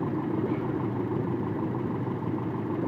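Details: 1995 Toyota truck 22R/22RE EFI engine during ignition timing check, base timing found right at 5 degrees, jumper wires unhooked so idle rises to about 12 degrees: steady, even idle with no misses, knocks or surges; healthy correctly timed engine.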